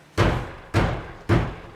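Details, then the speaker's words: MK3 Toyota Supra, door closed and latched: three hollow thumps each followed by a loose buzzing rattle inside the door; the worn foam on the lock bar is one contributor found. "door is closed it's latched it sounds terrible so I'm gonna play around in here see if I can find exactly where that rattle is coming from"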